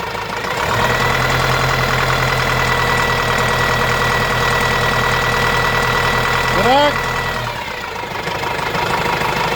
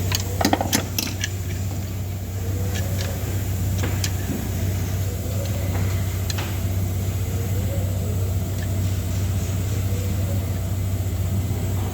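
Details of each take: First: Renault Master diesel, gear- and timing-belt-driven engine, after the timing belt was refitted: steady, even idle with smooth rhythm and no slap or rattle; engine sounds healthy, normal idle. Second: Renault Master diesel, with gear-driven lower timing and a belt-driven upper section, idles with a deep drone and a loose, irregular metallic rattle; the timing gears themselves are damaged, not the belt.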